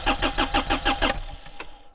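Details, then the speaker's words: Mini-excavator diesel, old fuel, cranking while air is bled from the lines: starter chugs in about six even compression pulses a second with no firing, then stops; fuel not yet at the injectors. "Alors, est-ce que le gasoil va venir au niveau des portes-injecteurs? Ouais, voilà. Voilà, le gasoil est vieux."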